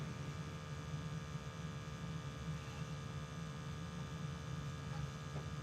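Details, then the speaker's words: Weil McLain EG/PG 35 steam boiler installed 3 months ago, during its firing sequence. As the damper opens there is a steady low hum with a faint high-pitched electronic squeal, constant throughout. Normal. "That's going to hum with that electronic little high-pitched squeal, which is normal."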